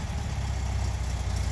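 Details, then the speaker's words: 1974 Karmann VW Beetle, heard from the rear: the flat-four fires right up with no smoke and idles smoothly with an even beat, no misses, knocks or ticks. "I'm gonna come to the rear here and we'll fire her up as you can hear the engine idles nice and smooth"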